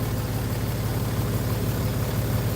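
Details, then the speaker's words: Jeep Grand Cherokee idling after replacing the flopping, rattling belt tensioner and the alternator: low, even idle rumble with a steady beat and no rattle; now smoother and quieter, normal idle. "but this is a lot smoother and a lot quieter. I changed that alternator. I changed that tensioner."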